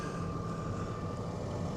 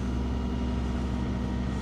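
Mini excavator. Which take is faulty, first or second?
first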